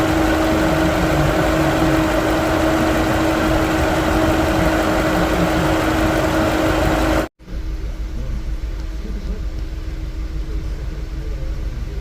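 Steady idle with a hum and a recurring stumble about three times a second that unsettles the rhythm, typical of a misfiring cylinder.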